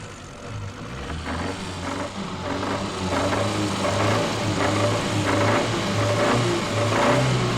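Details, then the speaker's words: 1964 recording of big end knock on a four-cylinder engine: a heavy, regular knock about 1.5 per second from worn connecting rod big end bearings, with severe oil pressure loss; needs new big ends, probably crankshaft regrinding. "The big end is at the bottom end of the connecting rod where it connects with the crankshaft. It'll also be accompanied by a severe loss in oil pressure."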